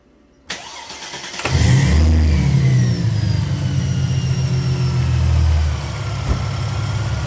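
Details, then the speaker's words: 2006 Mercedes SLK32 AMG supercharged, with a new ECU/TCU tune, a 92mm Hellcat throttle body after relearn, and a ported snout, cold start in a garage: quick crank, a brief flare, then a smooth steady idle without surging. "So this is straight up just a cold start, and it's sounding running smooth as heck."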